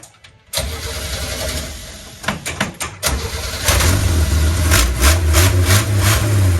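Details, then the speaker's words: 1967 Chevy G10 flat-face van, oil right on full and new-looking spark plug wires: cranks briefly, catches, stumbles and blips, then settles into a steady, even run; a healthy start. "Let's see if she'll try and move now. Ready? Was that a fluke that it fired up?"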